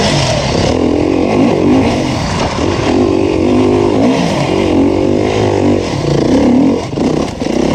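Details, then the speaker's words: 2019 Beta 350RR four-stroke enduro bike on a Finnish enduro track, a strong even note climbing and falling with the throttle with no knocks or rattles under riding load; the engine runs healthy. "The first bike that was free was the 350 4-stroke, and it was a really good one, as you can hear from the footage."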